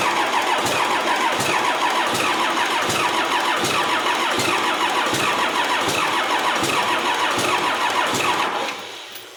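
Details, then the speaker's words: Cummins bus diesel sat outside nearly 3.5 years, on old batteries on a cold day, injector lines closed: fast steady cranking with an odd catch, one cylinder firing, then winding down without starting; lines to be reopened for more bleeding. "that seems like we got one so now open these back up because we're not as close as i thought we were"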